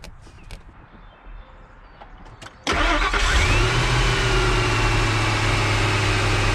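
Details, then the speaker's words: 2003 Ford F-150 4.6L V8 after replacing the noisy-bearing idler pulley: the starter catches and the engine settles straight into a smooth, even idle with no belt squeal or chirp. The pulley noise is gone. "oh that noise is gone under the hood pulling noise is gone"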